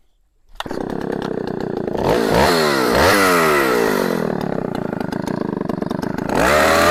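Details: 44-year-old vintage Husqvarna L65 chainsaw with points ignition, brought out of retirement, cutting a big oak log; snaps up to a high buzz and holds steady revs through the cut without stumbling. Still cuts amazingly well despite its age.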